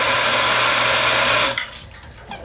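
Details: Shallow well pump motor after replacing capacitor, start switch and pressure switch (was humming, waterlogged tank): steady even hum with clear low tone for about a second and a half, then stops; starts and runs normally.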